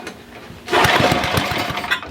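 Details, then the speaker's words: Old Ariens rear-tine tiller small engine under repair: catches and fires in quick, even pulses for about a second, then falters and dies as it uses up the little fuel in it. "all right so I think that's all the fuel that we have for in there and but that's good"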